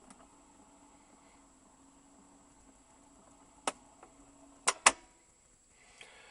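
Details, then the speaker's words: Philips GF447 (Boots-badged) record player, revived from seized: quiet mechanism with crisp clicks then two sharp clunks as the tonearm lifts and cycles, no grinding or dragging, no audible slowdown due to mute; normal record changer cycle. "It was seen as an automatic mute in there because you don't hear the record slowing down before it lifts the tone up. Nice touch."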